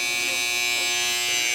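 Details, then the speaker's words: Wahl 5 Star vibrating clipper after oiling and tension adjustment; the blade can't be stopped. Strong, steady high-pitched buzz at full speed with no bogging or rattle. Normal, healthy running. "see that's nice and strong cut my hair right off"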